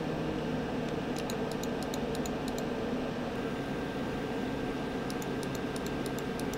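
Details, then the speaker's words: Asus ROG Strix G10DK gaming PC (Ryzen 7 3700X, RTX 3070, Chicony 500 W 80+ Bronze PSU) while gaming, compared with different side panels. Loud steady fan rush, droning hum under load, faint clicks. Excessive cooling fan noise. "the system sounds like a spitfire being strangled in a thin bath but let's have a quick listen to what the system sounds like while gaming with the different side panels on"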